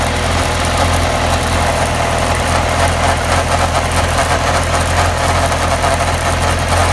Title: Weird noise